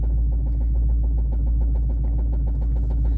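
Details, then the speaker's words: Lowered Dodge Charger SRT8 after hitting a dip in the road: deep steady engine drone with loose, irregular metallic rattle about once a second; exhaust pipe is super loose again. Loose exhaust pipe rattle. "noise it's all right we going to get it fixed though it is definitely the pipe the pipe is super loose again"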